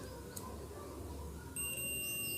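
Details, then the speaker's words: Two-relay TV stabilizer, transistor checked in circuit with a multimeter continuity test: a steady high beep holds across two of its three legs, showing a short; the transistor must be desoldered and rechecked. "ಈ 2 leg ಸೋಟ್ ಹೇಳ್ತಾ ಇದೆ. ಹಾಗಾದರೆ ಇದು ಟ್ರಾನ್ಸಿಸ್ಟರ್ನ ಒಂದು ಸಲ open ಮಾಡಿಕೊಂಡು check ಮಾಡಬೇಕು."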